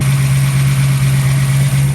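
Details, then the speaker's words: 1974 AMC Hornet wagon V8 at a gas station on first drive after a milder cam swap (old cam had a collapsed lifter): steady even idle sitting a little high because the carburetor wasn't adjusted after the cam; no leaks, no knocks or misses. "all right we looked at everything there's no leaks it's idle in a little high but that's because we did a cam and we didn't change anything with the carburetor"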